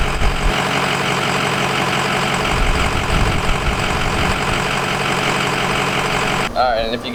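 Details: Nitrous-equipped Ford Mustang, first start after battery terminals were wire-brushed and after a fresh tune: lumpy, uneven idle holds about six seconds, then the engine abruptly dies; stalling at idle, owner unsure whether the tune is at fault.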